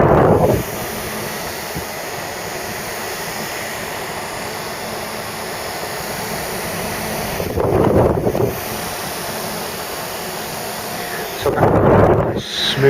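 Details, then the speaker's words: Mk3 Ford Cortina GXL early fibreglass heater box refurb: blower motor bench-run off a small battery pack before reassembly after three-in-one oiling; steady even whirr at one pitch, no scraping or bearing chatter, running very smooth, normal. "before we put it together it'd be crazy we didn't test it's a little pack just to run it up nice and beautiful runs even better with the uh the three in one now works"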